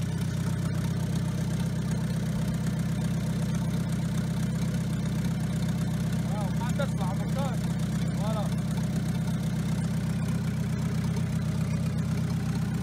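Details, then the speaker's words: Engine idling steadily with a faint whistling chirp rising and falling over the rumble. The noise appeared after the timing chain was replaced, but the mechanic identified it by ear as coming from the turbocharger, not the timing chain. "فانا وقت سمعت الصوت عرفته اللي هو من التربو مش من الكاتينه."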